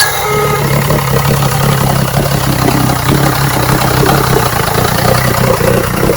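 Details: 1986 Force 85 hp outboard, after carburetor rebuild and restoring lost spark, previously stalling when shifted into gear: fires without choke and settles into a steady, even low burble at idle, running smoothly.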